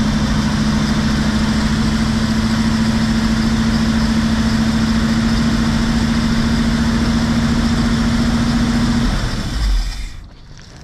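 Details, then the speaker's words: Carbureted classic V8 van with an Edelbrock carb, started in freezing weather with the doghouse cover off: after setting the choke it barks straight into a steady, smooth idle, no misses or knocks, with fan wind audible; normal cold idle. "right so as soon as I set the choke it barked right off I feel confident enough to put the dogghouse back on and kind of take it for a test drive which seems like the right thing to do"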